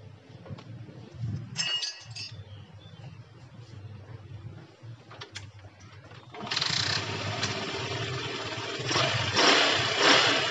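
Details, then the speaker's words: Yamaha Jupiter MX that started then died, after new original rectifier and refuelling: catches after a few seconds and settles into a fast idle that keeps rising on its own without throttle adjustment. "oke teman-teman dia langsamnya langsung ini ya langsung gede sendiri nih jadi enggak enggak saya setting udah gede sendiri dia"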